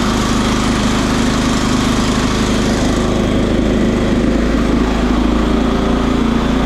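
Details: John Deere STX38 rider, Kohler Command 13 engine, gravity-fed fuel, first start after sitting about a year: engine holds a constant high, hard drone and never idles down; over-revving, governor suspected but cause not yet found.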